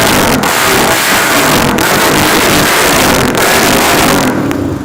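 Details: KTM 400 single-cylinder, cold start after sitting 3 days: loud steady thumping as it's revved, healthy with no knocks or misses.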